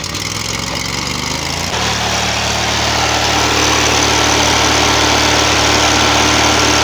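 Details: 25 HP Briggs and Stratton V-twin newly fitted to a hot rod lawnmower build: the engine catches, then settles into a steady, even idle of about four beats per second with no knocking; normal idle.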